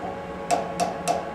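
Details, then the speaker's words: Lathe boring with high-speed steel boring bar at 5:1 overhang: four sharp knocks each leaving a clear high ringing note, signalling very high chance of chatter at this long overhang. "you hear that high pitch note very high chance of chatter at this point without basically every trick in the book on highspeed steel bar"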